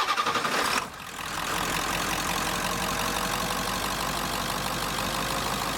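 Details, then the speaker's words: 1996 Ford F-250 7.3L Powerstroke diesel after water pump replacement and coolant refill. Cranks briefly, catches and settles straight into a steady, even diesel clatter with no misses; starts and runs well with no leaks. "Alright guys, got her all back together and she's running good, no leaks at all."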